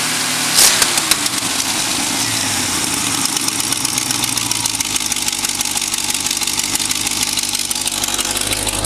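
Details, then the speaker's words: 1951 GMC pickup with freshly rebuilt '65 Chevy 283 bored 0.060" over to 292, Crane cam, 400 small-block heads, under one hour run time: steady fast idle, about 45 psi oil, 160°F, exhaust leak present, even pulses on all eight. Normal fast idle. "the idle set a little bit high i like to keep it that way and keep the oil pressure up until it gets broken in a little"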